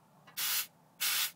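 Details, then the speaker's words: Nissan S14 with RB30DET: an air hose feeds test pressure to the wastegate, giving two sharp bursts of rushing air as it pops open; the spring is judged about 13–14 psi, so the wastegate works normally. "So I've taken the air hose and stuck it in here, and you can hear when the air pressure hits, you can hear that wastegate popping open."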